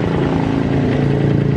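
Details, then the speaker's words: Honda Verza motorcycle being repaired for hard starting. After the work it holds a steady, even, low idle putter with no misses or knocks, now fairly normal. The slightly low idle is possibly from the piston and block still wearing in. "menurun sudah sedikit normal ya"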